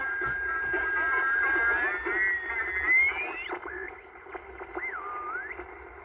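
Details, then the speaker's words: 1950s Angell 6-transistor AM radio, first power-up after resoldering and fitting batteries: a faint station buried in hiss with sliding squeals while tuning. The owner first suspects bad capacitors, then plans to check the antenna; not confirmed. "Sounds like it's got bad capacitors, doesn't it, guys?"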